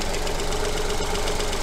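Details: Engine with coil-on-plug ignition, at idle during an oscilloscope coil check. Even, steady idle with a regular firing pulse and no misses or stumbles. Normal idle.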